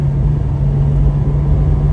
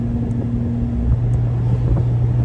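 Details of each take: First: Porsche 718 Spyder PDK with Kline aftermarket exhaust, valves closed, driving through corners: steady, even low rumble with constant deep hum, no drone or rasp; much tamer and quieter than with valves open. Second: Porsche 718 Spyder PDK with Kline aftermarket exhaust, valves locked open, cruising around 2000 rpm: deep steady boom at one low pitch with a constant hum behind it; exhaust drone boominess in the cabin.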